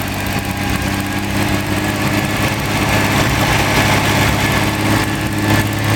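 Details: Rebuilt Ferrari Dino 246 GT V6 engine on a test stand before final installation, with oil pressure, water temperature and exhaust being checked; a smooth, even idle with a crisp, steady beat and no knocks or rattles. Normal idle.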